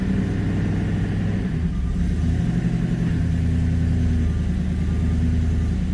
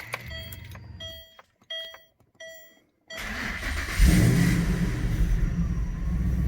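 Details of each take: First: Manual Ford BA GT Boss 290 V8 on first start after fitting an upgraded intake plenum, before retuning: smooth, steady rumble held at a fast idle that doesn't settle. The idle is too high and needs retuning. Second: Manual Ford BA GT Boss 290 V8 with an upgraded intake plenum and twin 60mm throttle body replacing the factory 75mm, after its throttle body airflow tables were rescaled 28%: chimes, then it fires and settles to a steady, even idle with no hunting. The idle is now correct.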